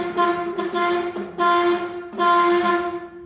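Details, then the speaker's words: Horn on a 1970 GMC 1-ton 4x4, converted from a Chevy C30, now sounding after cleaning the dirty contacts, cancelling cam and steering-wheel contacts: three short, thin, reedy honks with no strong low note; works, but the horn itself is bad. "Now, don't mind the sound. It doesn't sound right cuz the horn is pretty bad."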